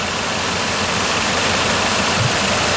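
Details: 2005 Ford Escape 3.0L idling during test-light checks on the suspect coil, constant power on its red wire; uneven, lumpy stumble through a hissy background; dead cylinder because the engine computer's driver never triggers the coil, P0354.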